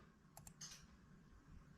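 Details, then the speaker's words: 1978 Chevrolet El Camino with LQ4 LS engine and 4L60E transmission, during the rebuild: shift solenoids commanded on and off give crisp clicks, both off for third and both on for first; normal solenoid operation. "So you can hear them. You see them right here clicking on and off. So third is both of them off. First is both of them on. And you can actually hear them both click in."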